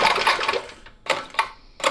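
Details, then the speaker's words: 1970 Fox Condor mini bike, Tecumseh HS40 4 hp engine after 20+ years in a barn: three rasping pull-cord strokes with no firing. It cranks but has no spark; the ignition points are to be cleaned. "oh it looks brand new nothing that cliff no spark"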